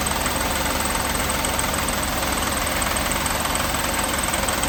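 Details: 1988 Mercedes 560 SEC (W126) V8 at steady idle with a fast, evenly spaced knock, about two or three a second; source not yet pinned.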